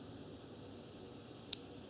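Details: Cooling fan relay bench-tested with roughly 12 V from an RC battery pack on terminals 1 and 2: one sharp single click about 1.5 seconds in over faint hiss as the relay pulls in when energized.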